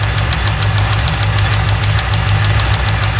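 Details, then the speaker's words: 1995 Lincoln Mark VIII 4.6 4V Ford modular V8 after timing job, found with no oil and non-original filter: heavy, regular deep knock at firing rhythm over rough idle; rod knock, needs an engine. "So that certainly sounds like a rod knock to me. That's a rod. Yeah, it's definitely got a rod knocking."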